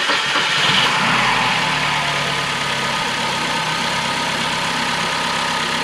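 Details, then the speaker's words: Ford Focus after engine and transmission reinstallation, first start attempts with fluids filled: steady starter churning about four turns a second that never catches; cranks but won't start; owner suspects injectors dried up from engine sitting. "man they started tripping because this thing wouldn't start I tried like 10 times and it wouldn't shrink um my guess is maybe the injectors dried up because this engine has been sitting"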